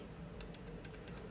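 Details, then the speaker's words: Trombone rotary valve: sharp, bright metal-on-metal clicks when the lever is moved with the stop arm held, from a loose linkage screw; fix is tightening it. "screw is loose basically you want all the action of this to go directly into the valve and if anything on that path is loose or not lubricated we'll talk about that in a moment it's going to make noise because it's wasting energy"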